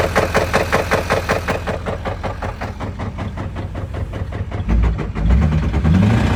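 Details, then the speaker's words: LML Duramax diesel at idle after about 12k miles, knock began as a light tap under light acceleration; now heavy, deep clattering knock a bit under two per second pounding under idle; broken crankshaft. "it started off with a little tap on the light acceleration and now we're into a heavy clattering knocking sound almost sounds like somebody's beating on the back door"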